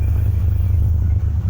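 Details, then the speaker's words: 1974 Plymouth Duster on a cold start: steady, even low V8 rumble with no knocks, ticks or misses; sounds good, normal healthy idle, still awaiting brake line and clutch work. "Boy, she sounds good."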